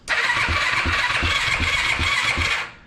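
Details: Yamaha YFZ450 after top-end rebuild, electric start cranking with clutch held in: starter spins briskly with even compression pulses about four per second; normal cranking.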